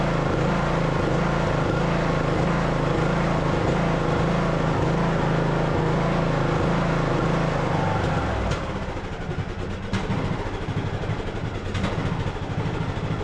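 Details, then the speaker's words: Craftsman LT2000 riding mower, almost 20 years old, small single-cylinder engine running without choke before carburetor swap; steady thump about 160 a minute with uneven hunting in speed, then drops off; surging from faulty carburetor. "I did have this running earlier pulled it across the yard it was surging um so we shouldn't need choke but you guys will be able to hear what I'm talking about"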